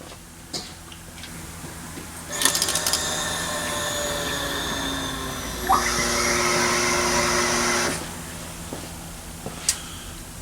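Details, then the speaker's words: 1968 Plymouth Barracuda with an ATK crate motor, ACES EFI distributor and electronic fuel module fed by a mechanical pump, keyed on before first start: a steady electric whine rises in pitch as pressure builds, then cuts off. Normal priming, about 50 psi, no leaks. "hey look at that we got pressure and I don't appear to have any leaks least not yet"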